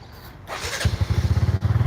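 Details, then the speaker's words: Benelli 135 motorcycle, a second bike used for comparison: it starts quickly and settles into a quick, even putter with no rattle or tapping. This is the normal start and idle. "This one makes no funny noises. We don't have no rattling sound. That's what it's supposed to sound like."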